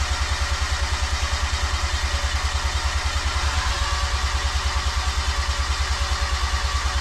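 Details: New 13B Bridgeport rotary engine with injectors disabled and igniter harness unplugged: steady, even starter churn at about three pulses a second, no firing, priming oil before first start; normal cranking.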